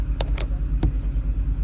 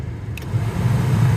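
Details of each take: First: Chevrolet Express/GMC Savana rear AUX HVAC, blower switched on and off with the engine running: sharp, irregular relay clicks over the engine rumble with no blower whir; relays and resistor card get 12 V, motor dead. Blower motor not running. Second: Chevrolet Express/GMC Savana rear AUX blower motor, Four Seasons replacement hooked up for a test before fitting, run on low: steady even hum with no rattle or squeal; normal blower operation.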